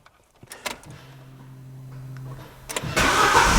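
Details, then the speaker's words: A 2008 Opel Corsa with Easytronic gearbox and a no-crank, no-start fault. A temporary jumper wire runs from the relay control side to pin 1 of the multi-function control module, bypassing a broken wire. The starter whirs about 1.5 seconds, then the engine catches and fires cleanly into a steady run. "but it's awesome the car starts again now there's one more thing left for us to do and that's to find that broken wire"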